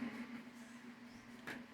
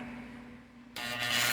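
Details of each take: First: Fan after motor rewinding: a quiet start, then the fan spins up into a smooth, steady rush of air with a low even hum; earlier loud noise and slow speed are gone, now running normally. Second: Electric fan motor after rewinding, with a strange noise: low steady hum, then a harsh hissing scrape as the fan starts slowly, from a loose winding wire rubbing inside the motor.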